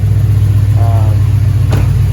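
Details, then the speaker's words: Impala SS LT1 350 V8 after idle air control valve replacement, restarted warmer: low, steady rumble with no hunting or stumbling, idling down; clean settled warm idle, sounds better than before. "Car's a little bit more warm. It sounds like it's idling down, so maybe just because the car ain't been started for a whole week or whatever, so maybe this is actually correct, but I don't know, man. Anyways, it sounds really good, like I said."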